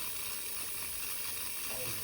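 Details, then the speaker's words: Steam heating system with newly installed radiators, banging day and night and with uninsulated pipes: a constant high, airy hiss from a radiator for about two weeks, as steam escapes through the air vent; cause suspected, not confirmed. "what do I hear hissing what's that noise that's from the radiator"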